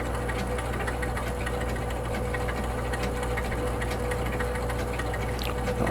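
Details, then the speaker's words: 1962 Vaga Bond electromechanical pinball machine after reset, giving only one-ball games; steady low motor hum with faint mechanical buzz that never cuts off as the reset motor keeps running, cause not yet found. "i can hear the the motor running so we got to take a look at that too"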